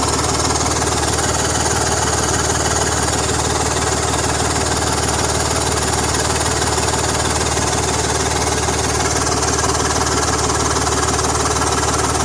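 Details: BMW M54 engine at idle: fast, even tick about two to three per second riding over the idle, typical of an exhaust leak near the manifold.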